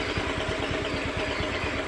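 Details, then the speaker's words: Honda Beat FI scooter that stumbles and nearly stalls on throttle; idle rises and falls and never settles; faulty engine oil temperature sensor causing unstable idle. "Ini Melepasmu pegang ini mau mau langsam ya akan tuh gak mau nah langsamnya bunder naik-turun naik-turun"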